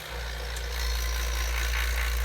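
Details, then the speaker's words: Vacuum pump starting on a Silver King 5-foot prep cooler after capillary tube replacement and a held pressure test, aiming for 500, realistically about 1000 microns: settles into even low drone with steady hiss, no knocking or rattle; running normally. "so my pressure held and now I'm gonna start vacuuming I got my test oh my Kanye tripped up so I can see how many microns I can get this down to"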